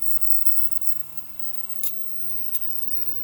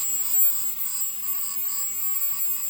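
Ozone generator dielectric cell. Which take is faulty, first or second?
first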